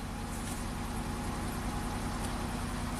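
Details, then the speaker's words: Healthy smooth steady idle with even beat, no knocks or misses, on a 2007 Chevy Equinox AWD, 35k miles, after no-crank fixed: one blown fuse and one relay installed 90 degrees out making poor terminal contact. "I love it that was awesome one blown fuse and one relay that was installed 90 degrees out the pins fit in but they weren't making good contact with the actual terminals"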